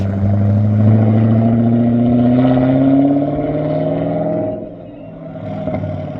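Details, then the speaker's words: 262,000-mile BMW E39 M5 V8 after sitting about 10 years, resonator deleted: revs climb then drop, exhaust turns coarse and raspy on deceleration; sounds great on acceleration but raspy on decel, aftermarket mufflers or X-pipe planned. "So exhaust sounds pretty good. It sounds great on acceleration, but decel just sounds like a rasp fest."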